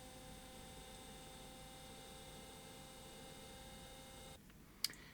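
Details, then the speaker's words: 1979 Philips N1702 VCR-LP video recorder, after swapping chip U236: a steady high thin whine runs evenly then cuts off; the head drum is still speeding up too fast, signal from the audio head under the drum not getting through. "No, can still hear the head drum speeding up."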